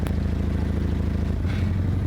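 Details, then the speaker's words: 1975 Toyota Corolla KE35 at idle: deep, breathy puffing chuff with each firing pulse from a blown exhaust leaking under the car. The owner is unsure what else is wrong and wonders if electrics were disturbed while fitting speakers. "You can hear though the blow that I'm talking about. You see you hear the blow the exhaust"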